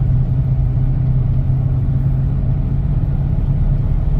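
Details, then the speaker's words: Mercedes CLK63 AMG convertible, M156 6.3L V8, in for a slight misfire and oil leak: deep, smooth, steady rumble with no knocks, ticks or stumbles; engine runs well, quiet, shifts good, no smoke. "I don't see any smoke I don't smell anything um engine runs very well like I said the motor's quiet shift's good"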